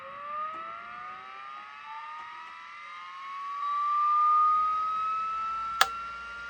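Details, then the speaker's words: Vintage 5.25-inch Seagate 94208-75 hard drive, possibly with a cracked board: a clean whine climbs smoothly as the platters reach speed, with no clicks or scraping. Healthy spin-up; the head-disk assembly seems fine. "Sounds really good. I'm probably gonna have to do something about that, although I'm not sure if any traces go, or it's cracked, so maybe it's just gonna work even with that, but at least the HDA is probably fine. It sounds good."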